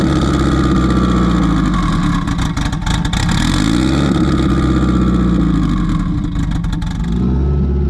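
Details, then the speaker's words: Engine running unhappily on E98 fuel, lumping and surging with wandering revs; the tune was set up for a 6466 turbo with 105 housing but a Precision 7675 turbo is now fitted, and it runs very rich on the low end. "Got the car all started, and as you can hear now, and as you can probably hear before, she's not very happy. Reason being is the tune set up for the 105 housing on a 6466 turbo, which is the last one that I made my pass on."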